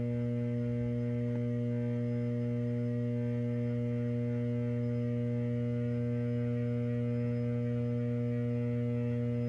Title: =D06 Transformer T703 Bay VT Y- Ph. more vibration and abnormal sound -2 of 2